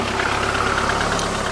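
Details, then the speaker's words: VAZ 2110-12/Priora petrol engine idling after replacing water pump, alternator and alternator tensioner bearings: steady even idle, soft whir, no whine or rumble from front; normal quiet idle. "а вот он тихо работать шелесте просто тихонько все подшипники все абсолютно все замены"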